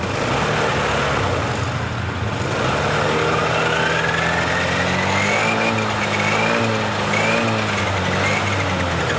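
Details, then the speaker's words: Honda Beat LED Deluxe fuel-injected scooter, DTC code 7 history: engine runs unevenly, stumbling beat and wandering pitch as throttle is blipped; rough sputtering running, intermittent, cause not yet found, EOT sensor or injector suspected. "Motornya mengalami berebet. Motor sudah hidup tapi mal eh rada berebet seperti [Tepuk tangan] ini."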